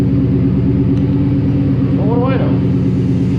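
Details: 1966 Buick Skylark with 6-liter LS engine, in gear at about 12 mph on the display with a wheel blocked: deep, uneven growling grind over the engine; broken spider gear in the rear differential.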